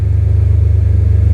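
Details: First start of a freshly swapped BMW M3 S54 engine, surge tank connection still unfinished: a deep, even idle pulse with no misses, knocks or ticks; oil pressure good, alternator charging, no smoke, engine sounds healthy. Normal idle.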